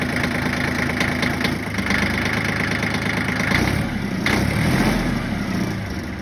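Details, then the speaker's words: Yanmar 1601D diesel (John Deere 750 tractor) after freeing a stuck, gummed-up governor rack with lube: steady, even idle with a regular low chug, no hunting or surging; governor now holding idle fine. "Then just to show you all the end result that I did get the idle to cooperate, we'll fire it up."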